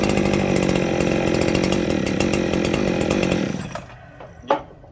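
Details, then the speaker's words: Ported Echo 7310 chainsaw with muffler mod: two-stroke screams at fast steady high idle then dies suddenly when carb cleaner sprayed on transfers; air leak at cylinder transfers. "It started idling real high. What's going on? It's air leak."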